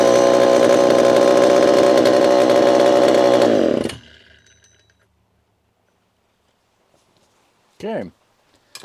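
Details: Repaired Homelite Super EZ chainsaw, boxed about two years after transit damage, on its first test run after reassembly. A crisp, high, steady scream for about four seconds with no stumble or surging, then a clean shutoff: normal running chainsaw.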